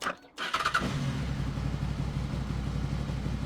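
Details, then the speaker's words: 2007 Honda VFR800 after injector clean, new spark plugs and air filter; brief start then smooth even low tick-over with no hunting, FI light now off, very responsive; previously idled sporadically high; normal idle after repair. "yep there we go FI light is no longer illuminated so ticking over a lot better as well very responsive"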